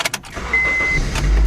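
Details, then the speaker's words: Honda Civic idling after the loose, rattling exhaust heat shield was knocked off: a few clicks, then a steady even idle with no metallic rattle; rattle fixed. "Beautiful. No more rattling."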